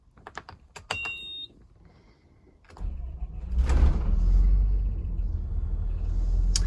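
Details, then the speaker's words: 5.9 ISB Cummins diesel in RV after fixing crank-no-start caused by corroded injection pump power wire; few light clicks then deep even idle rumble without stumbling; normal idle. "so there she is running nice"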